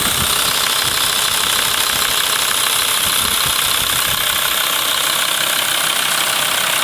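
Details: VW LT 35 2.5 TDI (AHD) diesel van, warm idle: tapping knock about 150 a minute over the clatter, knocks warm at idle and accelerating, not coasting; owner suspects camshaft area; new vacuum pump and pushrod made it quieter; cause unconfirmed.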